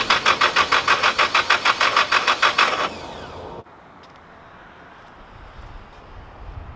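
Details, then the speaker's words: Nissan 240SX in about 30-degree weather, previously would not start: even cranking about five or six beats a second for nearly three seconds, never fires; crank no start, starter ruled out, cause unconfirmed. "it just sucks that it happened at 30 degree weather and I said something dumb like it's the starter but it's not the starter because we want to crank at all this does crank it just doesn't turn over"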